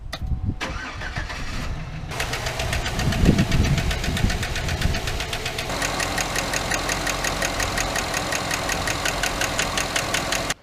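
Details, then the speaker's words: 2008 GMC Sierra 1500 5.3 LS V8 right after startup: sharp, rapid ticking in time with the idle from a failed AFM lifter, later fixed by removing the intake, exhaust and head and fitting stock lifters. "started up the GMC the other day and it didn't sound good I don't like this sound to me this is the death of my motor but I'm praying it's not"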